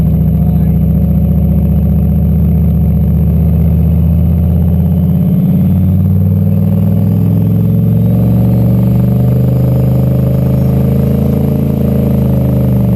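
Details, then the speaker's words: Turbo LQ4 V8-swapped Ford Ranger, no-start traced not to the MAP sensor but to a DTC code that had been disabled, now fixed: steady deep V8 drone pulling evenly under load, pitch shifting with speed, no misses or stumbles. "So with any luck, I'm gonna get in and start this thing and it'll actually start and stay running, and then I'll be able to go drive it."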